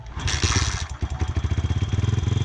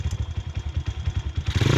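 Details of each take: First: Pitster 140 engine in a pit bike right after a valve clearance adjustment for a suspected valve rattle; single cylinder idles fast and even, two clean throttle blips rise and fall smoothly with no ticking or missing. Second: Honda CRF110 pit bike right after a valve adjustment and cam cover refit: quick uneven single-cylinder thumping at idle, then revs rise; sounds better than before but a loose bolt clatters metallically, location not yet found.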